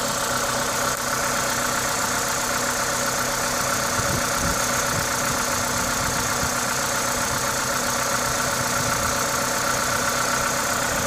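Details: Toyota 2ZZ-GE engine at a normal idle, smooth and even; the steady hiss comes from an induction kit with an open air filter; no ticking or knocking, healthy.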